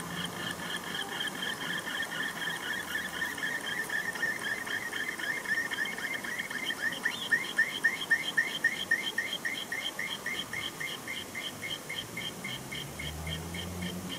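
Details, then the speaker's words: 24V 41.7A 1000W switching power supply with no load, just after unplugging. A high warbling chirp pulses three to four times a second; it stopped when the loud 12V fan was disconnected, so it probably came from the fan: warbling noise after power removed. "and when i unplug it can hear some very strange noises from it i'm not sure if you can hear it"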